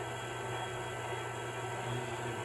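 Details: MTH Propane Turbine (20-2261-1, Proto 2.0, 2001) locomotive on track with smoke units on, after replacing the noisy rear smoke fan motor; soft steady whir with only faint low hum, no longer noisy as before, problem solved.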